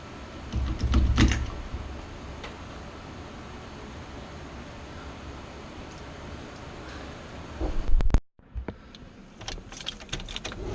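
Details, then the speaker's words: Newly installed mini racing high-torque starter on an engine with headers spins the engine evenly with no drag, then cuts off; a clean, healthy crank that replaces an old starter that sat too close to the headers. "Man, did you hear how clear that was? Man, that sounded good. Listen to how clean this starter sounds."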